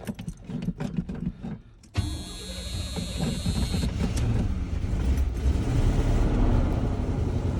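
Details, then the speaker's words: 1984 GMC Sierra Classic with fuel poured down the carb: a few sputters, the starter whirs, then it catches into a steady low rumble settling toward idle; 60 psi oil pressure, normal start. "And there we go. Got 60 pounds of oil pressure, and it runs like, I mean, runs like a champ."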